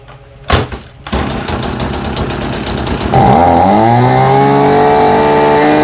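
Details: Husqvarna 326RJb trimmer on a replacement carburetor (old one wouldn't idle, fuel pump diaphragm fault), high-speed needle set dead center: after a few pulls catches and climbs to a clean, steady high buzz without sputtering; normal running.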